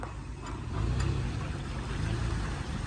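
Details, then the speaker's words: Toyota Land Cruiser Prado (Badao) after hard off-road climb: heavy low driveline rumble with faint ticking under load, loss of forward drive while reverse works; onlookers suspect damaged differential ring/planetary gears or gear not engaged, unconfirmed. "老表们，这霸道刚刚冲了一把，发出这种异常的声音，更的，咋回事？我刚刚听的声音不对啊，以我3年的越野经验，这声音不对呀。"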